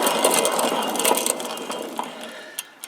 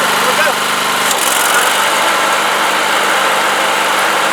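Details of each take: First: Cub Cadet LT1045 mower deck flipped over, center spindle spun by hand: dry, scratchy ticking about three times a second that fades as it coasts down. Worn spindle bearing; spindle to be replaced, unlike the quiet good outer spindles. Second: Cub Cadet LT1045 riding mower after replacing the bad center deck spindle; engine and deck spin steadily and evenly with no rattle or knock, then wind down at shutoff; normal running.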